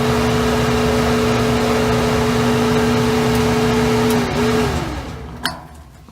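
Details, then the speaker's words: Kenmore dryer after repair, its blown non-resettable thermal fuse bypassed by joining and taping the wires: a steady motor hum with an even drum rumble, no grinding or thumping, then it winds down. Normal running. "as you can see, the dryer works perfectly. Now I'm going to leave this thermal fuse permanently bypassed because I don't think there's going to be a need to connect it to the two wires anymore."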